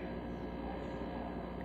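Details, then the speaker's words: New Whirlpool refrigerator with a broken track: steady loud low hum with a faint buzzing edge that stops when a hand is placed on it or the door is opened; vibration noise. "the track is broken and it's making a loud sound well my hand on it it stomps and you hear this loud noise"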